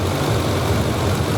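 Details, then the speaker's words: 1991 Suzuki 1100G after carburettor work, carbs being balanced by screw adjustment (center one was way off, revs had risen near 1500 rpm): low, smooth, even idle hum with no hunting; carbs now balanced, normal idle. "Oh, there we go. I gave it a tiny little tweak to the left, and I've got them pretty set."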